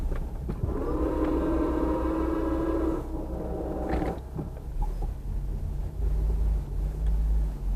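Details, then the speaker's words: Lifted Infiniti G35 plowing 3-4 inches of snow with tire chains, back-dragging: thin steady squeal over the engine's low rumble from the belt, soaked with coolant while bleeding the cooling system; battery also struggling. "So when I had to bleed the coolant out of the system, I got a lot of coolant on the belt, which is why you may be hearing it squeak."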